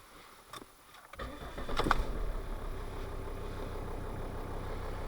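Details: Volvo V50 D5 SE, Euro 4 2.4 L five-cylinder diesel with DPF, after EGR valve positioning fault (limp mode, codes 4450, 44D0): quiet cranking, quick catch into a low, even idle with no stumbling or knocking; healthy start.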